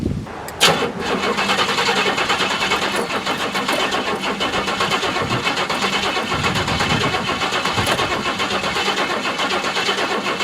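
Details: Bluick, cold start on an old, stone-dead battery about six years old via 25ft jumper cables after partial charging: starter churns strongly then drags slower over ten seconds without catching; voltage likely drops below about 9V, so no spark.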